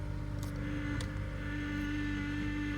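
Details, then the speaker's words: 2012 Honda Accord SE 2.4 K24 on a very cold day, after replacing the power steering pump suction O-ring and the VTEC gaskets: a humming whine at idle grows louder as the steering turns, with air in the system suspected; power steering pump whine. "We might have to Work some air out of the system. Do some full lock to lock."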